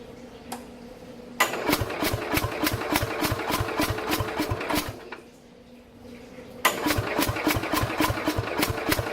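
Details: 1969 Bolens 850 tractor with a Wisconsin S8D 8¼ hp engine, unused for 3 years, with a little throttle and choke: starter cranks slowly at three to four turns a second with weak firing bursts that never catch; owner suspects very low compression.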